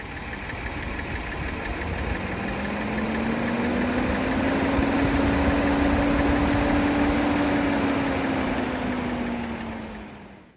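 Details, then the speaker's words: 2024 Kia Telluride non-turbo V6 with manual valve adjustment and low miles, at idle: fast, light ticking, about four per second, that comes and goes; suspected valve train, valve adjustment or sticking bucket, not confirmed. "occasionally in in our one week Drive of this car occasionally engine will start ticking and Ticking pretty severely"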